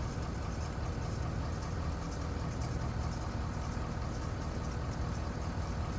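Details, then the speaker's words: Ford Power Stroke diesel, started warm: settles straight into a steady, even idle with smooth low clatter and no misses; starts right up, sounds healthy. "thank you sounds really healthy starts right up no it's not like I said it's warm"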